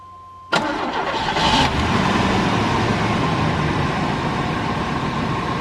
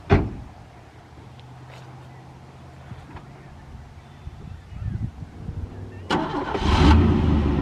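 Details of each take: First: Old Chevy pickup that sat at least 4 and up to 7 or 8 years: quick crank, then catches at once and settles into a steady, even idle with no misses or knocks; normal start and idle. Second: Old rusty Chevy pickup cranking slowly and weakly with faint catches for several seconds before roughly stumbling to life; hard starting, as on the previous attempt.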